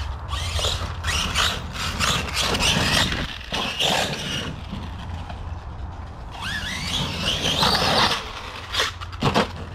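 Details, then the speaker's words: Traxxas Sledge RC truck after jumps: harsh scraping grind in bursts with throttle, metal on metal, first thought to be the rear diff; the pinion had come loose and slipped off the motor shaft, and the truck stopped moving. "Nasty noises coming out of there. Sounds like it could be the rear diff."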